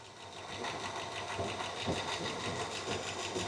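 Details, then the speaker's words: Engine idling after about 20 minutes of running: light, fast, slightly uneven ticking from the top end at about three per second, improved but not gone; judged a rocker arm (non-adjustable) rather than a lifter tick. Not confirmed. "it's telling me that it's not a lifter it's a rocker platter in and I'm pretty sure these are nonadjustable rocker arms"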